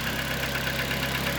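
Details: Mitsubishi Lancer 10, 1.5 4A91, automatic, about 261,000 km, heavy oil consumption: at idle a light, regular knock over a hissy, rattly background; suspected piston knock and noisy cam phaser (VVT clutch), not confirmed.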